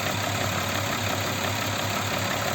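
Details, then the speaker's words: Audi Q7 3.6 FSI VR6 at idle: no noise when cold, then a fast, light rattle that appears and builds during warm-up. Compression and injectors were checked, and a worn cam phaser with play was found. "Когда уже начнёт тарахтеть на холодную не тарах чуть-чуть прогреется начинает тарахтеть [музыка] ждём момента появление шума двигателя вот звук он постепенно так издалека начинает появляется вот"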